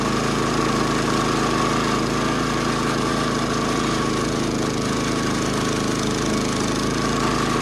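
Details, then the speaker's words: Roughly 70-year-old National reel mower with Clinton single-cylinder engine, after new points, tank flush, carb clean and replacement flywheel, mowing grass; even steady chatter under load, no misses or rattles from flywheel cover; running healthy. "And the little thing's pretty happy now. No more unhappy noises from underneath the flywheel cover. No more uneven running from the iffy spark."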